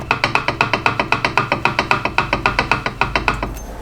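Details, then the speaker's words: BMW E46 M3 limited-slip differential, supposedly good replacement unit on the bench: rocking the input flange back and forth gives sharp hollow clunks, about four a second, showing excessive backlash (M-clunk), worse than the original diff. "sounds clunky that one doesn't it that's worrying"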